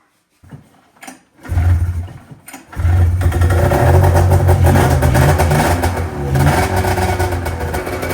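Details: 1997 Arctic Cat ZR 440 two-stroke after fresh top-end rebuild with new V4 reeds, new coil, plug caps, coolant topped up: a couple of cranks, then catches and runs with a strong, steady buzz; running fine.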